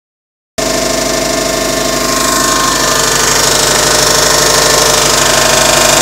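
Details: A 2006 Subaru Legacy GT boxer engine at idle makes a sharp, regular ticking of about three to four clicks a second that started recently; the owner is unsure whether it is normal boxer noise.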